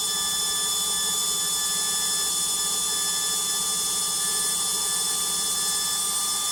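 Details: Logik washing machine on spin: loud steady roar with high ringing tones throughout; noisy spin, likely drum or bearing, cause unknown.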